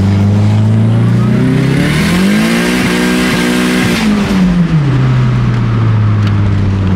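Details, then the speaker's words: Turbo Ford EF Falcon XR6: engine pitch climbs and falls with throttle while driving, with a really weird hard scream on top as it pulls; source unconfirmed. "guys my Cosmic in this really weird screaming noise and I"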